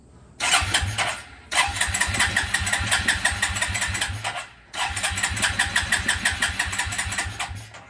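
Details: 2000 Suzuki QuadRunner 250 4x4 ATV, about 25 years old, jump-started; two cranking bursts of quick, even chugging from the starter, about three seconds each, never catches; cranks but won't start.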